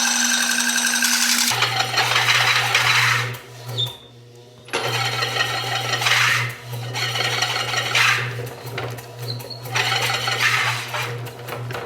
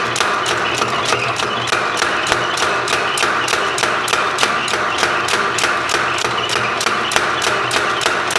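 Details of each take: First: Rebuilt 30 lb Kerrihard power hammer driven by a 3/4 hp motor: motor hum under fast hammer clatter that sags and nearly stalls; motor too weak, to be replaced with a 1.5 hp one. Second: Sharp, evenly spaced blows at about three per second from a rebuilt 30 lb Kerrihard power hammer, steady with no slipping or skipped strokes after belt and pulley work; the hammer is working properly.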